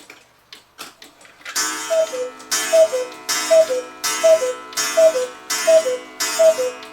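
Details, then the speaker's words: 1986 German 8-day Oompa-player cuckoo clock that had never run, with the wire behind the pendulum bent and the clock leveled. Steady, evenly spaced tick-tock at about 80 beats a minute with no limp. The clock is in beat. "normally people don't think about tilting their clock until they can hear the pendulum and the movement ticking an even Tick Tock sound anyway it's ticking just fine now it's leveled and sounds beautiful"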